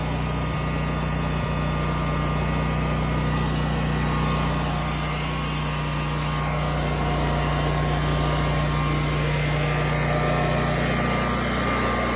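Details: New Westinghouse 20,000-watt portable generator just started after fuel priming: smooth, even drone with steady low hum, no misses or surging; running normally.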